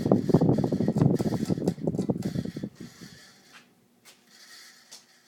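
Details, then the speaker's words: 52-inch Fasco Charleston ceiling fan, second generation, stack motor, about 1980s, after switch-off from high: rhythmic thumping of two to three beats a second fading during a long spin-down; owner unsure whether bearings or capacitor. "It's got a good spin down time to it, so I don't know if that's the bearings. I mean, feel free to comment if you know exactly what was causing it to make that noise."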